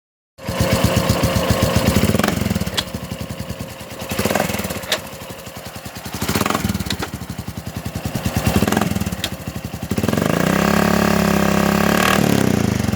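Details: 2007 Honda Foreman 500 ATV: single-cylinder thumping with repeated heavy clunks as revs rise and fall, then a steadier higher run; clunking from under the front cover, apparently from the centrifugal clutch on the drive side. Cause suspected, not confirmed.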